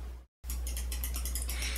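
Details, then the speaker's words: KATO CT9602 torque-limiting clutch drive installing a tangless/Helicoil insert, clutch set too low: quick light clicks, about seven a second, as the handle turns but the mandrel doesn't; torque must be gradually increased until the insert installs. "Do you hear the clicking sound? The handle is turning, but the mandrel is not. This means the clutch drive is active and there isn't enough torque to install the insert."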